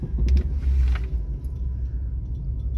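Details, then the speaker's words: 2005/2006 Dodge Dakota creeping at about 5 mph: deep, steady growl from the front wheels that stops when the truck stops, a rolling noise; worn hub bearing. "see when i come to a stop the noise go away so what you can assume based off that alone is it is a rolling resistant noise it's a rolling type noise"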